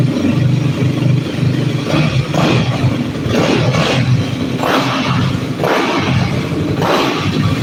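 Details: Motorcycle in neutral after a throttle-body vacuum sync and fresh fluids: the engine is blipped a handful of times, revs climbing and dropping back cleanly with an even beat and no knock. It sounds healthy.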